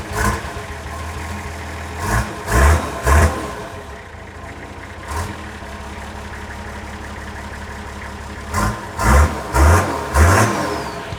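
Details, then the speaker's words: Nissan Patrol diesel after engine bay reassembly, injectors cracked to bleed fuel: bursts of cranking with the engine briefly catching and chugging then falling back; reluctant start, suspected air in fuel, unconfirmed. "You sound like it almost wanted to start though. It did almost want to start."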